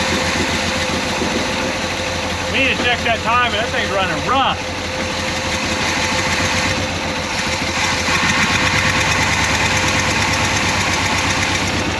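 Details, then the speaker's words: 1968 Pontiac Grand Prix big-block V8, first run after 15–20 years off the road: uneven, lumpy idle with an irregular stumbling beat; misfire from crossed plug wires. "it's a runner it uh it might have some issues"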